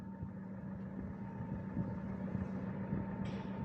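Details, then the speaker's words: 2017 Mitsubishi Pajero Sport diesel, 104,000 km, stationary idle inside cabin with A/C on: thin constant whistle above the engine note, louder with A/C; turbo whistle. "Coba kita nyalakan AC-nya, suaranya tambah kenceng dan suaranya juga tidak abnormal ya, tambah banter."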